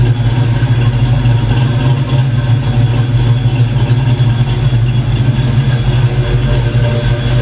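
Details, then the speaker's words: Black Stang (Mustang) first fire with 24 lb injectors and 73 mm mass air meter, rockers shimmed; steady, even low drone, no misses, knocks or ticks, warming up before throttle work and fuel-pressure tweaks: normal idle. "so that sounds damn good i'm getting excited i think i did something right well i have to get her warmed up before i start mucking around with the throttle"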